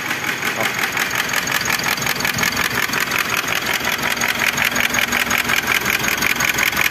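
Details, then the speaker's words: 2018 Mitsubishi Triton 4N15 2.4 diesel, out of timing, hard-starting with crank/cam sensor faults; with the cam phase sensor unplugged it runs with a very loud, sharp metallic clatter and uneven beat, cylinder misfire; piston likely hitting valve. "só que com esse barulho muito forte aí ó provavelmente a pistão tá tocando na válvula né"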